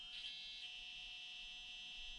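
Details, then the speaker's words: Orlando brushed ESC in an Axial SCX24 micro crawler on 2S, which is the only voltage it runs on: a thin, steady high-pitched ESC whine that is present but not bad; low-speed modulation is very bad and a smooth start is nearly impossible. "and whining a little bit but not that bad unfortunately very bad low speed modulation"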